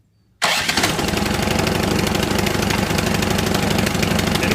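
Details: Ariens 28 Deluxe two-stage snow blower (model 921030) with 254cc 12.5 engine: brief electric crank via extension cord, engine catches at once and settles into a steady, even idle with a quick regular beat; normal electric start and idle.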